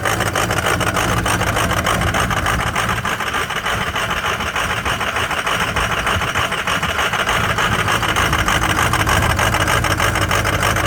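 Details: Cold start of a Ford 6.0 Powerstroke diesel with some bad injectors: loud, uneven idle with a lumpy clatter about three times a second; rough idle from the bad injectors.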